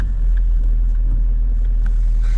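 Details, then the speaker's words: Kia Ceed 1.6 diesel just started in frost (about -12 to -14 °C outside) with a Dnipro-M JS-12P jump starter after the battery died: steady even low diesel rumble, no misses or knocks; normal idle. "Дивіться все як не знати що працює єтноєм супер все Super Ну що народ Хай працює машинка"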